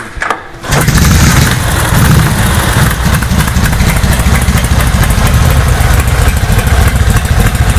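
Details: 1931 Harley-Davidson motorcycle cold start using choke: catches after a couple of kicks and settles into a loose, lumpy but steady idle with no knocks or misfires; normal cold start and idle.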